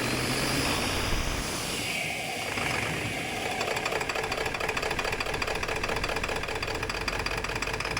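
Loud diesel clatter with a lumpy, uneven beat that never settles into a smooth rhythm; the engine is misfiring at idle. Cause suspected, not confirmed.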